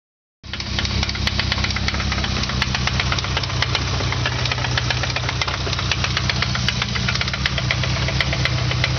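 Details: Nissan KA24E petrol engine at idle: a sharp, steady rod knock of about four beats a second from low in the block.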